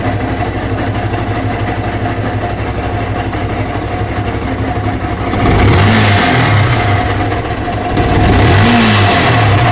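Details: Yamaha R15 version 1 at 62,000 km, strange engine sound. Steady idle with a rhythmic tapping, then two throttle blips; the odd noise rises with revs, cause not confirmed.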